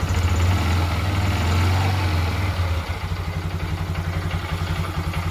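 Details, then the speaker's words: Honda Dream Yuga after full engine rebuild, just kick-started in neutral: low steady single-cylinder idle with faint light timing-chain chatter expected to settle; normal idle. "Sound అనేది ఇప్పుడే బండి start అయింది కాబట్టి కొంచెం light గా timing scene sound లాగా వస్తది అన్నమాట"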